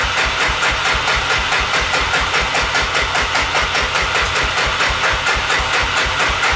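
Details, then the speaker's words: 1988 Honda FourTrax 300 4x4 ATV that sat in a shed for years, with choke on, fuel turned on and a flick of throttle: the starter churns at about 2.5 pulses a second and the engine never fires; the owner plans to check for spark. "Choke, a little flick of the gas. She don't want to start. I'm pretty sure there's fuel in it."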